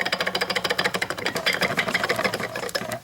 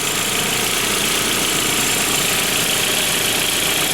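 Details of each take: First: 1999 VW Passat 1.8L turbo old water pump, removed and turned by hand: dry, uneven clicking about three times a second; bearing has lots of slack and turns poorly, the bearing is worn. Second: 1999 VW Passat GLS 1.8L L4 turbo after a water pump replacement: the engine runs at a steady, even idle with a smooth hiss and no knocking or ticking. Normal idle.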